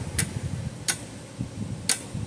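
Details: Old Parmak 12 V fence charger, roughly 50 years old, powered at 12.5 V on the bench: sharp single ticks about once a second over a quiet room; regular pulse, unit operating.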